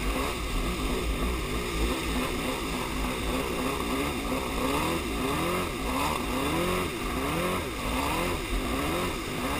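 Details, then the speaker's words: Yamaha Superjet two-stroke watercraft burbles unevenly with a lumpy, stumbling note as if on one cylinder; started minutes after refuelling, persists with fresh gas, compression even; owner suspects plug wires or ignition, unconfirmed. "Yeah, something ain't right. It's like it's running on one cylinder. That's really what it feels like."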